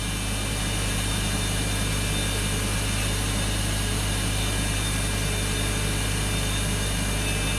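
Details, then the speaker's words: BMW X5 that had been misfiring, with a bank 2 lean reading and injector 6 checked; coolant 45, radiator outlet 42, oil 42, intake 46 degrees. Steady, even idle with no stumble or skip; no misfire now, normal idle. "This doesn't make any sense at all. This car has no misfire whatsoever right now. Runs perfect."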